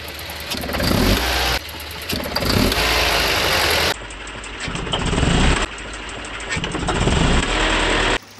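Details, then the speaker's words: Volvo 240 with B230F redblock petrol engine pulling away under load: light metallic rattle over rising engine note, spark knock (pinging) when throttle opens, worse under load; owner suspects over-advanced ignition timing, distributor seized, later replaced. "look for those that don't know it's basically pre-ignition the spark is happening too soon the ignition time and it's too advanced"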